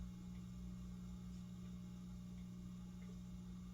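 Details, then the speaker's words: Razzetti Italian porcelain-housing 46-inch ceiling fan: low steady electrical hum louder than normal solid-state noise; owner suspects it was rewired backwards so the motor gets DC, low power factor noted, otherwise runs fine. "doesn't sound like normal solid state noise. It sounds like the motor is getting DC, but it's otherwise performing fine."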